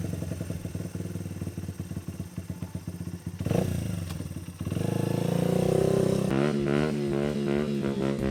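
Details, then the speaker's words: Honda XR80 dirt bike after a carburetor rebuild, with the needle clip raised one notch to lean out a rich midrange hesitation. Crisp idle and clean throttle blips with no stumble: normal running. "So I think we got to run pretty good now"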